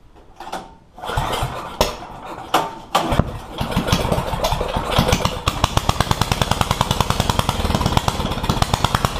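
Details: One-seater Yerf Dog go-kart with a newly installed 420 Predator engine: fires up after a few pulls and settles into a quick, even popping beat; fresh engine running gently through break-in, normal.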